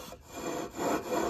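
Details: Predator 212 engine build: rhythmic back-and-forth gritty rasping as the flywheel is turned on the crankshaft taper with lapping compound and no key fitted; an even grind means the surfaces are seating properly.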